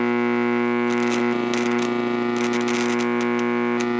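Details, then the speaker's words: Radio audio amplifier at full volume with no input on a wall-wart supply (silent on the transformer/LM-regulator supply): constant low buzzing hum with higher overtones, unchanged with a capacitor across it; wall-wart power supply is the likely source. "Even with the capacitor across it, it's still humming. So there is a hum in the power supply in the wall wart one."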